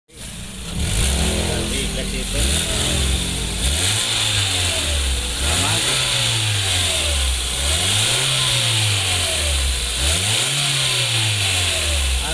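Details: 2015 Hyundai Grand Avega whose leaking exhaust flexible pipe caused weak pull and a rough sound. Engine blipped up and down several times, exhaust rising and falling smoothly with no puffing or rasp, like a sealed exhaust.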